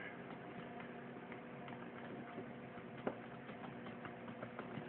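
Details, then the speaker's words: Hot Racing aluminum axle carrier upgrade, comparing a stock corner rocked by hand: light, dry, irregular clicking from play in the stock axle carriers, which the upgrade is meant to tighten up. "If that is just plain old your key issue, to just tighten up those corners and get rid of that play, which I'll kind of show you on this one here. If you can hear that little bit of a clicking."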